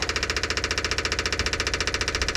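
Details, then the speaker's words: Electric fuel pump on a 1957 Chevy, just after reinstalling the cleaned rusty fuel tank with about five gallons of gas, keeps up a loud, fast buzzing tick of about eleven pulses a second that never quiets; running dry, owner suspects the line needs priming. "so far still loud i wonder if i'm going to have to kind of prime that line get field"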